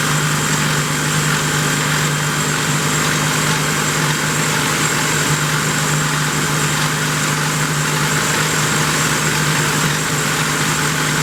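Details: 1972 Plymouth Roadrunner 383 Magnum V8 with stock/RV-grind cam, break-in run after 15+ months unrun: steady, even high-speed hum at constant revs, no knocks or ticks; normal fast idle during cam break-in.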